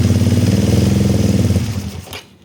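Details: Kawasaki ER-5 stored 2-3 years, previously dying at full throttle, after carburetor repair with new fuel inlet O-rings: lumpy pulsing twin chug for about 1.5 s, then sags and stalls; cause not confirmed.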